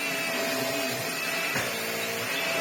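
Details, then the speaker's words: Vax Air Stretch bagless upright corded vacuum after servicing, floor head on maximum suction setting. Steady motor roar with a faint thin whine on top and brush roll turning smoothly; the little whiny noise is nothing to worry about. Picks up lots of dust, running healthy. "Oh yeah, that's fine. Little whiny noise, but nothing."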